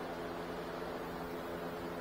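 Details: 2017 Nissan Rogue, newly replaced blower motor tested with engine running, fan turned up: smooth steady rush with clean constant hum, no ticking, squeal or wobble; normal blower operation after replacement.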